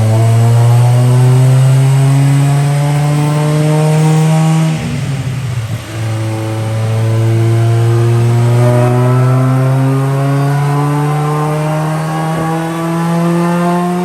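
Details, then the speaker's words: 1998 Honda Prelude with a Jackson Racing supercharger, after removing the overly rich FMU and plugging its vacuum line: a labored, slowly climbing drone under load with a midway stumble. It struggles at 128 with timing pulled out; weird timing, distributor suspected. "She's struggling. 128. 128. Now you can see it's struggling. I pulled that timing out of it. Yeah, the timing. The timing is super weird."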